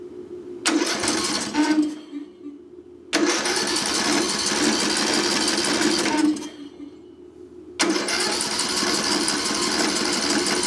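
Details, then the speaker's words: Craftsman LT1000 riding mower left sitting outside roughly five to ten years, cranked at full throttle with auto choke; three several-second cranking bursts spin the engine but it never catches, as fuel isn't getting through the carburetor. "I think what I'm going to do is go ahead and take this carburetor off and then just stick my fuel in here and bypass that carburetor we'll see what happens"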